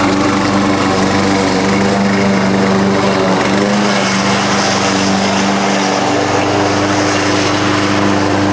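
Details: Husqvarna push mower that sat over 4 years, after a clean carb and correct oil level (Rotella T6): steady even drone at constant speed, no misses or surging; runs much better, loose blade suspected rattling underneath.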